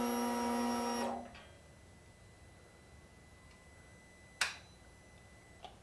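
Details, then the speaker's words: 2018 Indian Scout Bobber with S&S air filter and Vance & Hines full exhaust, just after Dynojet Power Commander V install: key cycled to check the fuel line doesn't leak. Steady electric buzz about one second, then a click. Normal fuel pump prime. "One last thing we need to do before we call it a day is cycle through the key and see that there is no fuel coming out of the fuel line."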